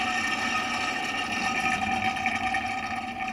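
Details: Condensate pump with anti-siphon device, drain line running 3 to 5 m downhill: steady watery rush and gurgle with thin whistling from gravity siphoning.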